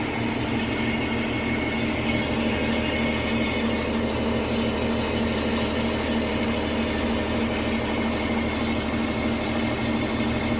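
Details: 2017 Porsche Cayenne 3.0L V6 diesel idling under a rough metallic grinding, seeming to come from underneath, somewhere between the engine and the gearbox.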